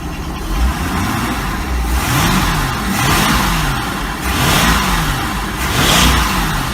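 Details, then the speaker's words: 1986 Century 5000 Cuddy Cabin boat with a Mercury Marine 5.7 L V8, carburetor rebuilt, new water pump, impeller and fuel pump, jets possibly mistuned: deep burble through clean throttle blips with no stumble; it revs normally. "i did a carburetor rebuild kit on this thing so it's not a new accelerator pump it just sounds good"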